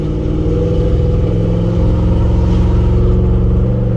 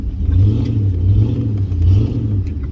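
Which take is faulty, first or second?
second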